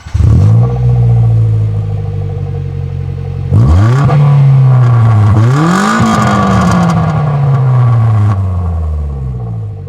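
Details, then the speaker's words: Suzuki Jimny with a hole in the exhaust back box: a loud, deep, raspy drone that swells with every rev, then rattles and drones once off the throttle. Finding: blown exhaust back box. "I think it's quite obvious what happened here basically we got a hole on a back box and uh yeah so that's what it sounds like"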